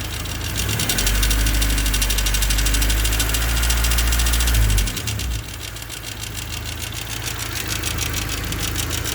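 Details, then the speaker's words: Honda D16Y8 swapped into an EF Civic, idling after a valve lash adjustment: fast, even clatter about three per second that seems to come from the crank area; not the injectors, owner fears a spun bottom-end bearing. "Alright, so after driving it around, it kind of seems like the noise is coming from, I guess, the crank area. This clattering sound."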